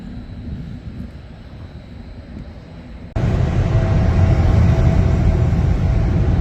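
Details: 2020 Toyota Avalon TRD after spark plug change, heard from the rear of the car: quiet, then catches at once and settles into steady even low hum, no misses or ticks; normal startup and idle.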